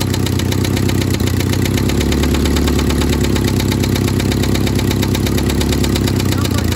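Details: 1972 Toyota Celica 18RC, first running in 26 years after an original carburetor rebuild, in cold weather around 30–41°F. Steady idle with rapid metallic clatter and puffing exhaust pulses. No blow-by; exhaust leak suspected, with exhaust and intake manifold replacement planned.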